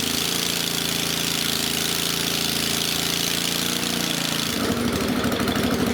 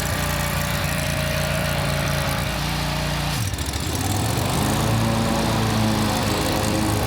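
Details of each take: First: Country Clipper Boss SR1200 zero-turn mower engine run without muffler after refilling oil, coolant and gas, checking whether coolant still leaks into the system; loud, uneven firing that stumbles partway through, rough running with cause not pinned down. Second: Country Clipper Boss SR1200 zero-turn mower, run at full throttle, which is needed to engage the belt: picks up at about four seconds into a smooth, even full-throttle drone with no misses; runs healthy.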